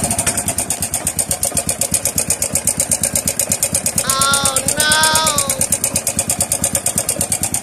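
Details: Honda RS 125 motorcycle idling with a sharp, steady ticking clatter about three ticks a second from the engine, traced to the timing chain tensioner backing off, leaving the chain slack and jumping.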